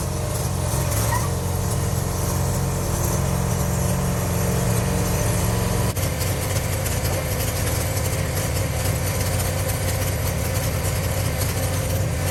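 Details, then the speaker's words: Gravely zero-turn mower, first run after cleaning flywheel magnet and coil, freeing stuck choke linkage: engine runs with low steady drone that shifts note halfway, a bit unsettled; carburetor needs tweaking, uneven running. "and we're gonna see if it'll run now sounds like we got a little bit of tweaking to do to the carburetor"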